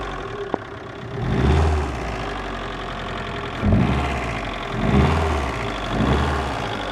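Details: VAZ 2112 1.6 16-valve engine blipped from idle several times, dull knock riding over the revs; knock appeared after cylinder head gasket replacement, source still unclear.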